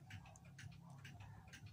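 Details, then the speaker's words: Turntable idler wheel with a minor flat spot, platter spinning: low steady rumble with soft thump about twice a second, pendulum clocks ticking nearby; idler wheel flat spot. "if you hear that that's the sound of a flat spot of your idler wheel"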